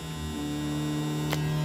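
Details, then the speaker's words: 1979 Oldsmobile Cutlass Supreme with 406 SBC, broken down roadside, switch wires jumped together: steady low electric hum slowly building and holding; fuel pump running and building pressure, fault was a bad switch. "you hear that we got fuel pressure look at that so my switch went bad"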